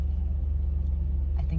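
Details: Power steering groan at idle: a steady low moan under the engine when the wheel is turned, mostly to the left when parked but both ways when driving. Suspected low or old power steering fluid.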